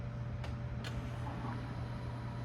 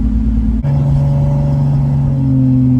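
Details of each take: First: Staged extra fuel pump wired through a relay triggered by a hobbs switch at about 4 psi of boost, being tested: two crisp relay clicks, then a steady low electric hum as the pump runs and fuel pressure rises; normal operation. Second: Lexus on a test drive under boost: steady engine drone under load with a brief dropout, power breaking up as it pulls; cause found to be two badly restricted fuel injectors, confirmed by flow testing.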